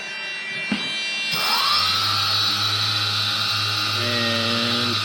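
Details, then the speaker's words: F550 hexacopter on Pixhawk 2.4.8 (ArduPilot, ELRS receiver), six Phantom 3 920kv motors on 30A ESCs with 10x4 props: after the arming beeps every motor spools straight up to a steady high whine with no throttle applied; spin-on-arm needs fixing. "seems to be going, except the motor's powered up straight away. I'll have to fix that."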